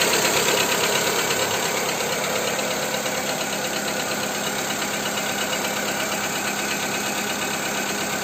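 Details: Skoda Fabia 2 1.4 petrol at idle after Ceratec treatment: steady light ticking knock at roughly three per second over a smooth idle; engine knock of unknown origin.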